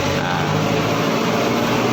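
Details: Yamaha NMAX 155 scooter that cranks with good battery but won't start: steady even hum with low drone and faint tones, fuel pump running normally.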